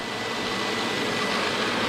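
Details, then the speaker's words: Miele SES 100 vacuum after repairing the electric hose's failed on/off power switch (soldered): steady, even rushing hum with no pitch change or rattle; motor and power head running cleanly, repair successful. "can hear it. Working well. We have a successful repair. Now we got the power head back in operation."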